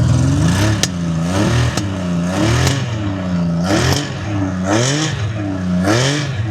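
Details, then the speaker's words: 1979 Honda CBX 1000 inline six, apparently restored, just over 10,000 miles, cold start on a cold day, mic by the exhaust: deep, busy burble with slow rises and falls in revs and slight cold splutter, otherwise smooth; exhaust condensation; normal cold running. "So, we'll just go ahead and warm it up a bit. Now, will splutter a little bit because it is cold, but I'll put the mic down by the exhaust so you can hear it."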